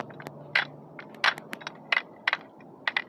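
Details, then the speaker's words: Ford Focus shift tower after assembly and repair, worked by hand on the bench before refitting: crisp clicks as the lever moves through the gates, each landing cleanly with no slop; detents normal. "So, just play around with it. Should make that noise."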